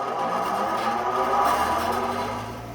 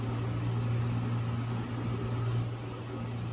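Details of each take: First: ILG Model 183 desk fan with new bearings but no preload spring, before the fix: steady hum with a ringing, buzzy whir from noisy unpreloaded bearings; adding a preload spring washer made it smoother and quieter. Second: ILG Model 183 fan with new bearings, after a preload spring washer was added between the front end bell and the front bearing. It now runs with a smooth, even low hum; without the preload it rattled.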